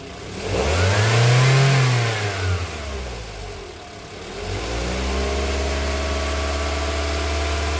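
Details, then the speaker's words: 2024 Mitsubishi Xpander GLS with a no-start, after reconnecting battery terminals: engine catches and revs briefly, then settles into a steady, even idle with no misses or knocks; running normally, battery found to be the problem. "Okay. Kaya kita natin ay batery ang kanyang problema."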